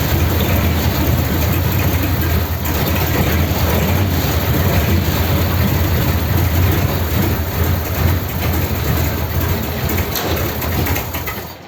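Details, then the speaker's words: 286 cu in flathead (3-3/8in bore, 4in stroke) race car, first start on a raised fast idle. Deep, lumpy, uneven idle with a backfire, misfiring because the number three and number four spark plug leads were swapped. "okay okay there's a backfire so i'm gonna check the plug leads yeah okay i've got these two swapped over number three and number four"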